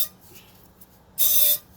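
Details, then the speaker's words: Honda Civic, rear brake: single loud, sharp, high-pitched squeak when reversing; owner first suspects a rock, the rear pad is a little thin and worn unevenly with the disc rubbing one side, causing brake squeal. "okay there's a very loud squeak it could be brakes but right now sometimes it could be a rock in between here okay"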